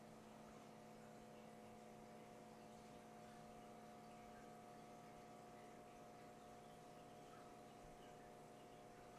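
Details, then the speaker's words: Keurig B70 coffee maker salvaged with cracked reservoir, slow/clogged: steady quiet electric pump drone that never labors, pump runs but only a few drips come out; clog suspected, no water flow. "so you can hear the pump pumping um but just no coffee is coming out"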